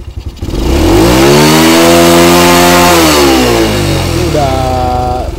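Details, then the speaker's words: Honda Grand motorcycle after repair (camshaft and regulator replacement tagged) for power loss, with top speed stuck at 30–40 and headlight bulbs blowing. It now revs cleanly to high rpm without stumbling, though slight cam chain noise remains. "udah panjang ya udah mau Meraung tinggi Kalau kemarin kan napasnya pendek gasnya mentok dan larinya pun mentok di 30 40 paling kencang ya"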